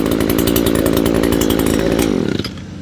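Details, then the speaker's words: Echo PE225 two-stroke edger after fuel line and carburetor replacement (it had bogged at full throttle and leaked fuel), run outside at full throttle while the mixture is tuned by ear to the highest RPM: a steady, smooth scream with no stumbling and a clean shutdown. "I just kind of go by ear how the engine sounds. Once I hit the highest RPM, that's where the sweet spot is."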